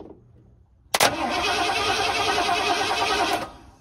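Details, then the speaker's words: 1979 Ford F-150 that sat in a scrap pile since 1999, running on a better fuel supply. The starter cranks steadily but it never fires because spark was lost when the temporary wiring came loose. "still no spark what happened what happened okay I see why my Mickey Mouse wiring giving me trouble"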